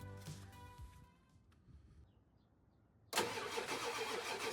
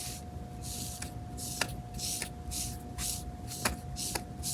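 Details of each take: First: 1994–1997 Ford F-250/F-350 7.3 Powerstroke diesel after vacuum pump replacement: brief crank, then a steady, even diesel clatter with a firm low hum; healthy start and idle, brakes and HVAC vents working, belt squeak a separate issue. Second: Removed vacuum pump from a 1994-1997 Ford F-250/F-350 7.3 Powerstroke, whose failure hardened the brake pedal and stopped HVAC vents switching: front bearing spun by hand gives repeated gritty, hissing rasps; rough, failing worn bearing.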